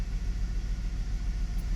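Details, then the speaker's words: Hummer H3 at idle with one ignition coil unplugged to simulate a defective coil: a deep, lumpy idle that pulses unevenly, with engine rattle, extra vibration and a drop on light acceleration, from a misfire. "on the engine and the engine got that weird drop down when you give it a bit of acceleration so right now one of the coil is actually not attached to the engine when the ignition coil is defective"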